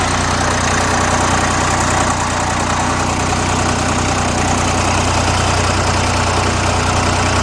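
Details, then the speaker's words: Old Fordson Dexta three-cylinder diesel tractor, about 1950–51, cold start: low, steady chug at a very slow idle, owner estimates about 400 rpm; even beat with no knocks or misses, healthy. "This thing runs at probably about 400 RPMs."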